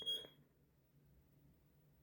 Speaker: Now it's chirping.